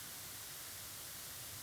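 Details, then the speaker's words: Live audio setup with a wireless mic, mixing console and two speakers, also being recorded: a steady hiss fills the recording. Bad gain structure, with input gain too low and output turned up. "in this video I'm going to show you and mainly let you hear what bad or improper gain structure is doing to your audio and you can actually hear my bad gain structure right"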